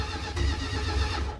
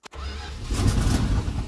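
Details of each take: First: 1978 Dodge Adventurer, long-sitting with pack-rat damage and the carb loose or disturbed, cranks over: a short burst of low, even pulses from the gear-reduction starter spinning the engine cleanly. The starter is normal, and it barks right off, so spark is present. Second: 1978 Dodge Adventurer, long-sitting with pack-rat damage and the carb loose or disturbed, on primed fuel: a starter click, then uneven cranking that catches into a few ragged firing bursts before dying away. Spark is present but fuel delivery is lacking.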